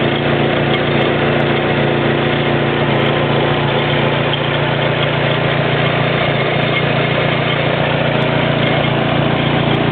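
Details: Nissan N15 Pulsar sedan with PNW10 SR20DET conversion at steady idle, loose uneven rattling slap of a stretched timing chain hitting its guides, present for about 7,000 km and growing louder and more frequent.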